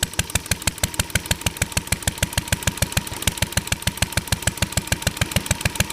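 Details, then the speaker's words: Ideal Model V upright throttle-fed single-cylinder stationary engine, pull-started; carb very sensitive to weather and mixture. Crisp, steady, even firing about three beats a second; running normally and healthy. "so this motor is a little finicky um when you get it all the settings right and the temp temper is just right and the humidity is just right it actually runs pretty good"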